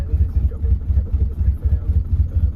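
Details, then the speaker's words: Saab 900 V6 farm car, started with throttle held flat, owner suspects very stale fuel: fires and settles into slow, lumpy idle with uneven pulses rising and falling, chopping away instead of holding steady; rough idle. "So I've got it to the point where it will idle somewhat. So if I go hold it flat and then start it, it goes to fire, and then it, see, just lops away."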